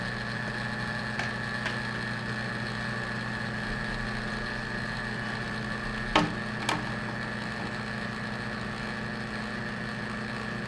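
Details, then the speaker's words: Hotpoint HDA3400G02CC dishwasher, GE-made, after snaking a restricted drain line: drain pump runs with steady low hum and faint whine, a couple of small clicks; draining fully, normal. "it's a pretty good drain now should kind of hear the pump sort of Labor towards the end when the tub is empty"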